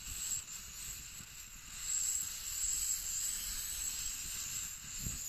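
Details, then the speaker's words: MSR WhisperLite Internationale 600 stove relit after fuel off about five minutes, under a pot of water: steady, even high-pitched hiss with no sputter or surging; burner running cleanly. "we're gonna turn on the fuel let's see like this it's been off for about five minutes so you can see that it's gonna take a little bit to repressurize"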